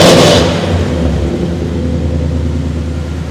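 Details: 1976 K20 squarebody 3+3 crew cab lifted 4x4, 496 big block (just under 500 hp, AFR heads, Quick Fuel carburetor): catches on first crank with sharp burst, deep even rumble, no misses or knocks; normal start and rev.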